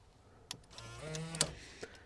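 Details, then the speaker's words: Rolls-Royce Silver Spirit III central locking, operated by a newly programmed replacement alarm remote: a couple of light ticks, a short soft whir, then a sharp clack as the door locks throw. Central locking is operating normally. "And you can hear there that my new remote is working."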